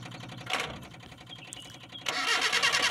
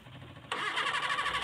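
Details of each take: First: Colt 120SS hard-starting engine, spark plug wires checked toward the distributor: starter cranks steadily about three beats a second but engine won't fire; no spark at the plug, though current reaches it; plug checked and fine. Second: Mitsubishi Colt 120SS petrol engine, previously hard to start, after work on the cable to the distributor: engine catches immediately and settles into a steady, slightly busy run.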